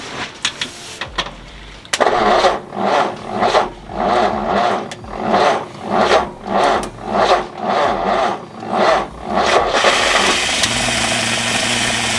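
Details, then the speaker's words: 1952 Ford F1 truck brought back to life, old fuel judged trash: starter churns in slow even pulses near 100 a minute, then catches and runs only on non-ethanol gas squirted into the carburetor. "so we found a little water bottle we're going to fill it up with non-ethanol gasoline and then we're going to put a hole in the top and squirt it into the carburetor to try to get this to start over"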